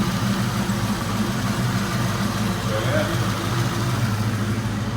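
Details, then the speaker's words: 1992 Mustang GT Foxbody V8 idling after the engine bay was reassembled, running better since an oversized 70 mm throttle body was replaced: a steady, even burble with no misses or knocks; the exhaust sounds better than ever. "[Laughter] it's not a good to exhaust they actually sound better than ever hands [Music] yes she's running pretty good we're working on it"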